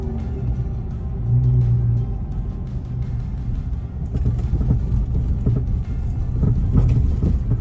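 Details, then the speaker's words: 2012 Ford Escape driven slowly over bumps in a parking lot: sharp pops and rattly clunks from the front suspension, before repair; worn stabilizer (sway bar) link ball joints. "so you can hear we're in a parking lot here and you'll hear some clunking and rattling going on"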